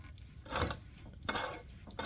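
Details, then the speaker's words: Water pump on a Jeep 4.0 engine spun by hand, giving short gritty scraping rasps. The bearing is dry, worn and wobbly, and fluid leaks from the weep hole; the noise went unnoticed while the Jeep was running. "It's so dry. I'm surprised I never heard it when the Jeep was running. But, uh, yeah, it's pretty wobbly."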